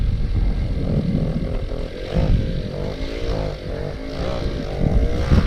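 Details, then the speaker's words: Stock original Go-Ped Sport two-stroke after sitting 15+ years, first start on choke, exhaust routed into the body: sputters and surges unevenly, never steady; rough running, owner suspects no compression or exhaust routing. "Sounds like it has no compression."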